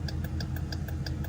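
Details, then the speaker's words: 2019 Dodge Durango R/T at idle with right front turn signal bulb out: rapid even relay clicks about six per second, hyperflash versus normal slow flashing on left side. "So, normally with any car, you know, just a little little lesson here. Uh, with any car, if your turn signal is out, normally it'll flash like this real fast."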